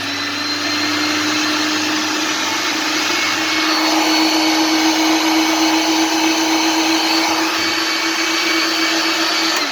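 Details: Philips 1600 W meat grinder after replacing the coupling, running freely with a steady, even motor whine and no jamming, knocking or labouring; previously hummed but auger stopped under load.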